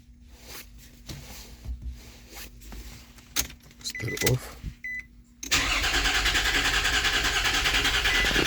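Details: 2004 Nissan Pathfinder with a suspected immobilizer no-start; starter cranks steadily at about three turns a second (scan tool reading around 306 rpm) but the engine never catches, no firing heard.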